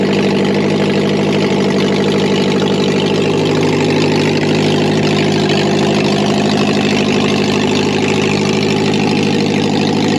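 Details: Subaru BRAT project car running with catalytic converter removed; earlier knocking was traced to the cat, not the motor. Steady, loud, raw idle with even throaty pulse and no knocking.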